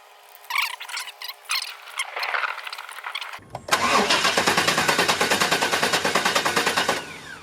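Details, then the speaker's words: Chevy 350 Vortec Suburban, sat for years, fuel system replaced, new coil fitted: even cranking about three compression beats a second, never fires; still no start. "unfortunately the sperman is still not turning on"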